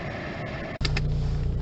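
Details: Mercedes cabin blower fan at lowest setting, panel dropped, after oiling the end of the fan bearing: a brief knock then a steady low hum with no squeal or chirp; normal blower fan operation.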